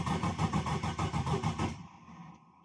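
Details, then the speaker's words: Ethanol-fuelled turbo engine (Pulsar turbo, 2200cc injectors, K-series coil packs), first start after a cracked piston pin, ice cold: even cranking at about seven beats per second, every stroke equally strong; full compression, oil pressure straight to 5. "like it got full compression. So it's alright."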